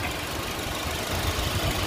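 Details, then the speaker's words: 2014 Honda Civic FB 2.0 (2000 cc) at idle with the hood open: steady, even, smooth low hum with no knocks or misses; a healthy engine. "Suara mesinnya ini nyala loh, ini mesin, tapi suaranya masih halus."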